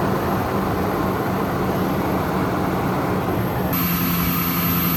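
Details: Toyota/Lexus 1UZ-FE/2UZ-FE V8 cold start after belt tensioner pulley bearing replacement: steady even idle under loud secondary air pump rush that cuts out near end, leaving smooth engine; running normally.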